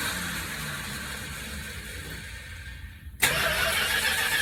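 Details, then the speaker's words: 1964 Chrysler after an Edelbrock carb rebuild, cold at about 40s°F with the carb bowls empty. Long steady cranking, then it catches and settles into an even run once the carb bowls fill. "There's no fuel in the carburetor, so you'll have to crank a few times to get the bowls filled up."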